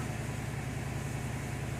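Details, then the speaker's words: 2002 Mercedes CL500 V8 idling just after start-up following new spark plugs, plug wires and coil packs. A quiet, even idle with a steady beat and no stumbles or skips: it runs smooth, with no misfire or rough idle. "wait till she idle down all right i think we got it she sounds smooth no misfire no rough idle"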